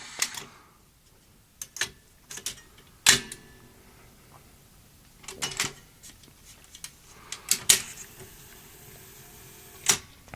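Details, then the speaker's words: Toshiba V5470B Betamax video recorder under repair, after greasing the mechanism: soft, scattered clicks and short mechanical whirs with no grinding or straining; normal, quiet tape lace-up. "a lovely quiet lace up unlike sanyo you may have seen my son here video a while ago and the sunny machine makes a dreadful noise doing lace up"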